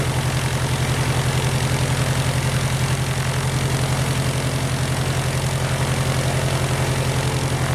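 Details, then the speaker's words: Titan IO-340 180 hp in RANS S21, first start, throttle quarter, idle stop fully down: steady, even fast idle with firm low beat, no dip, running too high; idle stop needs adjustment. "Yeah, idle was all the way down. >> Okay. So, your up high. >> So, I think we need an idle adjustment."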